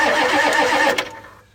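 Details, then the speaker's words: 1984 Ford F-250 6.9 diesel, sat unrun since November 2016, block heater plugged in, about 55-60°F, after glow-plugging: starter whines, engine turns over unevenly about a second and winds down without firing; getting a little fuel, owner suspects air in injection system. "it's getting a little bit of fuel but doesn't seem too promising people"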